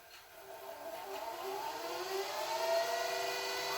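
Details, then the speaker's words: JVC HR-S3500U Super-VHS VCR after cleaning and re-greasing the loading mechanism: smooth whir rising as the tape fast-forwards, no squeal or grinding, quieter than the earlier noise; normal tape transport. "it's pretty it's it's more quiet now I'm wondering if that was the noise it was making"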